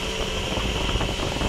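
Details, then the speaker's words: Daihatsu Gran Max overheating badly, coolant boiling every 2 km; blown cylinder head gasket pushing compression into coolant, water not circulating, upper radiator hose cold: radiator fan roars constantly over steady idle and never cycles off. "ternyata kipas ini terus menyala teman-teman menyala terus dan tidak mau mati nah ini kipas terus menyala"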